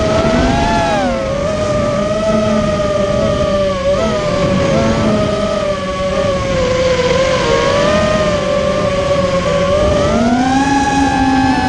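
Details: Immersion Vortex 250 Pro quadcopter motors on test run after fixing bad bearing sounds, which the owner thinks are fixed; one motor slightly warm: steady high whine near 600 Hz wandering with throttle, no grinding or rattle. Normal running.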